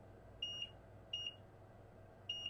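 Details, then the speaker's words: iPhone 6 Plus that stays on 30 seconds then powers off: multimeter continuity test across a filter on the board gives three crisp solid beeps, a good connection, where earlier it gave a partial reading. "you can hear that is a solid beep that's what he expect from a filter"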